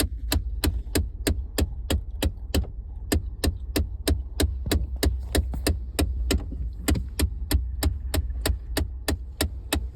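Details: 2014 F-150 dashboard ticking: sharp, very regular ticks about three a second over a faint low hum; source still unknown.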